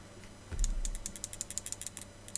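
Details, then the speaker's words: RevTech Nitro 200W dual-18650 vape box mod shaken by hand. Light ticking rattle in bursts from something loose inside; it seems to come from near the top but does not, nor from the buttons, and the source is not found. "a rattle to it. I don't know where the rattle's coming from. I just cannot work out where it's coming from."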